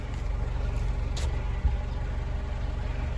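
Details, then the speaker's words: Honda City on CNG that stalled when switched to gas; after injector cleaning and replacing one leaking injector, running on gas: engine revs gently to an even, steady note with no stumbles or misses, normal. "ตอนนี้ก็ไม่มีความโดดดันแล้วเครื่องก็นิ่มแล้วโอเคครับค่อยๆเร่งหน่อยครับ"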